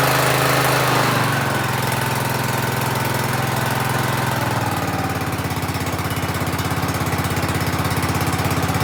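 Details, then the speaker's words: Ride-on mower with rebuilt engine, safety system rewired, first start: catches after a rough start while fuel reached the carburetor, then a steady, even putter with no knocks or misses; normal running. "well it does seem to be running pretty good took a minute to get the gas up into the carburetor but it's done"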